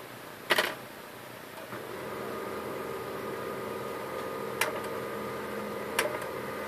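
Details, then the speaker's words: HP LaserJet 1010 after gearbox noise repair, printing a test page: soft, even whirr with a few light clicks, no rattle or grinding from the gears; printer now runs quietly. "as you can hear, printer has no noise this time."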